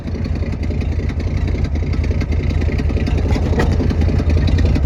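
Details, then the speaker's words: 1972 Ford F-350 V8 auction truck, jumped at the solenoid, first start: steady deep burble with even firing pulse and no valve train clanging; smooth, healthy idle, possible exhaust leak on one side. "So she runs. Sounds good too. No valve train clanging."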